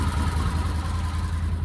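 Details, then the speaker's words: Idle of a 2020 Can-Am Defender Limited Max cab just after startup. A smooth, steady low idle with an even pulse and no knocks, ticks or rattles. The owner seemingly finds it quieter than last year's model. Normal idle. "over here's the motor running that's bitter wild or quiet from last year's model"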